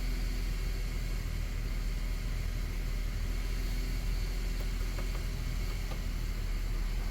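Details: 2008 Ford FG Falcon straight-six on LPG (dedicated gas), about 324,000 km, idling just after oil and pre-filled filter change, no oil light; smooth constant low hum, even beat, no tapping or stumbles; normal idle.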